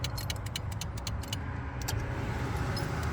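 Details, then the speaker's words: Range Rover Classic that broke down at 25,000 miles and sat 10 years, key-on after rewiring: quick uneven light clicks for about two seconds over faint low hum, relay clicking showing it has power. "I can hear a relay clicking, which is good news. So it sounds like we have power,"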